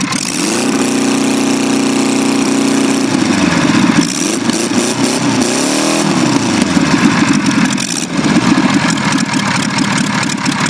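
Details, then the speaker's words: Extremely rare experimental Onan twin-cylinder diesel, one of six made. The cam is audible and it sounds like an old airplane, settling from a fast start to hold a steady 3,600 rpm governed speed: running smoothly. "Hear that cam in there, buddy? That sounds cool. Oh, yeah. Sounds just like an old airplane."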